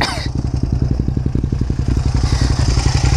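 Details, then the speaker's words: Suzuki SV650 V-twin at idle: lumpy, even beat with a light, quick click-click tapping riding over it; owner suspects valve tapping and a needed valve job, not confirmed. "guys hear that? The valves tapping? Yeah, I think I need to get a valve job on this guy pretty soon."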